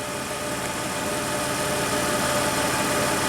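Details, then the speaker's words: 2004 Toyota Tacoma V6, 5-speed 4WD, 260k miles, likely original timing belt, P2111 limp-home history: warm engine, steady even idle hum with soft regular pulse around 730 rpm, no knocks or misses; normal warm idle. "p smooth smooth Toyota I think it's still running in the original timing belt believe it or not"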